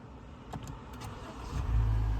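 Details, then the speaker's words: 2015 Honda Fit, push-button start with foot on brake, before starter replacement: repeated presses where the starter just winds without starting, then a short crank and the engine catches with a low rumble; intermittent failing starter motor, happening more frequently. "you hear that the starter Just Wind and the car didn't start so I'm going to press the button again the car wind the car didn't start"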